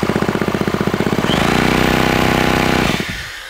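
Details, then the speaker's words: Yamaha KT100 two-stroke engine on a Monster Moto mini bike: quick, even cranking beats, then a steady spin, but it never fires. Fuel is confirmed but there is no spark; the old spark plug is suspected and the coil gap was adjusted. "hit it dude nothing nothing I don't want to run it crank it over too long because I don't know how well it's oiling when it's not running right so no spark"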